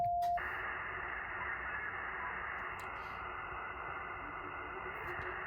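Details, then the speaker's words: HF amateur-band receiver: short tone, then a steady rough hiss and growl across the band at an S9 noise level, jamming many stations; power line interference. "So you'll hear kind of the growling background noise there. You would expect a certain amount of static on the HF bands. However, take a look at the actual signal strength of this noise."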